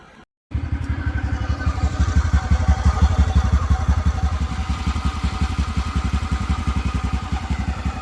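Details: TVS Ntorq scooter engine runs with an even, steady low putter at about three beats a second, no tik-tik or khat-khat ticking or clatter heard; engine sound problem solved, sounds healthy.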